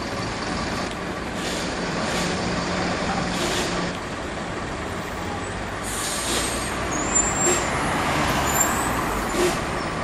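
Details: Volvo B7L Wright Eclipse bus, route 36; steady diesel drone under repeated hissing air bursts and irregular rattles; unusual noises, cause unclear.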